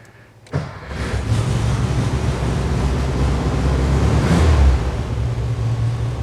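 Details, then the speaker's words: 1968 VW Karmann Ghia with new 1600cc dual-port engine, pre-delivery before road test: catches after short crank and settles into even low steady rumble, no knocks or misses; healthy start, clutch in. "fires up nicely clutch in"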